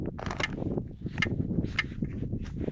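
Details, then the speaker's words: Lifan X50 SUV at 79,165 km, -17°C: sharp metallic knocks about every half second from the left front strut area as the body is rocked by hand, traced to a worn lower ball joint; knocks appear below -15°C and stopped after replacement. "стук скорее всего идет от шаровой от шарового шарнира потому что под машину я тоже залез также было холодно руку приложил шаровой и начали мне ее трясти и Эти звуки отдаются именно вот шаровую где сам вот этот шарик расположен снизу получается"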